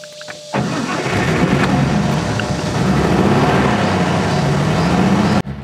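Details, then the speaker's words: 1955 Mercedes-Benz 300SL Gullwing, I6 engine (215 hp at 5,800 rpm), started after running the fuel pump a few seconds: engine catches almost at once and settles into a steady, even run with no stumbles or misfires; a clean, healthy cold start. "I got a good start. Let's enjoy Gullwing's engine sound together."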